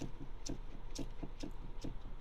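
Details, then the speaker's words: Kia Ceed steering column knock returning: dull irregular clunks as the wheel is rocked side to side by hand, now with one hand. It matches the knock at purchase, fixed at first service, and nearly disappears with the column in its lowest position; worn column suspected. "Смотрите, опять, ребят, слышите? Стучит как. Вот я уже одной рукой шатаю."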